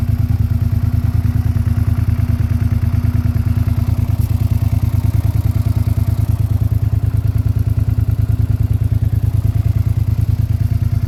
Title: Normal SV650 Engine Noise. After cam chain change.